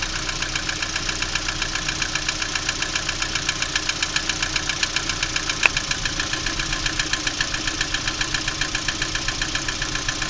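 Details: Lada Priora engine at idle: sharp, regular ticking knock about two and a half per second riding steadily over the idle; knock of unknown cause.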